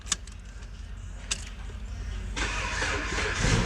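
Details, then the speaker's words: Possibly an Avenger or Chrysler 200, with key-fob-not-detected no-crank fault, old key with new immobilizer (SKIM) module fitted, cluster removed: brief crank, fires and runs rough for a moment, then dies because the module isn't programmed. "it yes see you started and it died it only died because it's not programmed"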